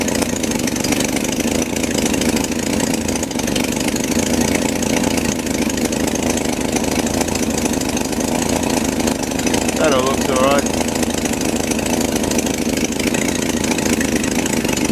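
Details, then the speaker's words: BMC Wolseley Farina 24/80 engine run after rebuild, fitted with an ill-fitting 1560 muffler: loud, raspy, chuffing exhaust with uneven idle as exhaust leaks out at the muffler joint. "I've only got a 15 60 muffler which doesn't fit we're leaking out of here and it sounds absolutely dreadful"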